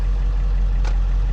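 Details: 2002 Ford F350 Powerstroke diesel that idled with no throttle response and dead gauges and dash lights: after gauges and warning lights came back, low, even diesel rumble with a steady beat, no misses or surging; idles cleanly, issue appears solved, cause unknown.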